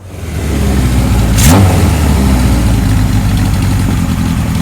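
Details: 1978 Kawasaki KZ1000 LTD four-cylinder, rebuilt rescue bike, early test run: blips up from a loose, lumpy idle and settles unevenly; owner expects new rings breaking in to straighten it out.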